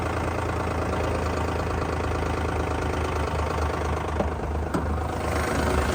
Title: 2010 Lexus RX350 030057 - engine knock